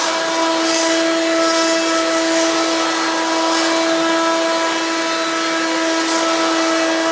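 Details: Hoover Quik Broom II S2141 stick vacuum, damaged in shipping: harsh steady high whine with loud unchanging hiss, louder than an S2095; owner suspects unbalanced motor or broken fan from shipping impact, cause unclear.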